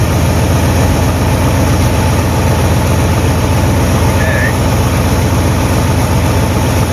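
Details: 1958 Buick Super engine idling on first start, untuned with unknown timing; loud, rough low idle with uneven puffing chuff through the rumble from several exhaust leaks in a trashed exhaust system.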